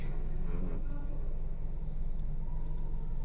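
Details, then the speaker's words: Car at idle with AC off: low even engine hum, steady rhythm, no shake or knock; smooth normal idle, no vibration, before vibration appears once AC comes on. "बिल्कुल सामान्य है। इसमें कोई कंपन नहीं है।"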